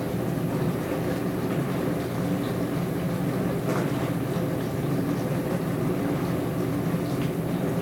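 Loud, continuous low rumble with faint clatter all the way through the run; the dishwasher is abnormally noisy, cause unknown.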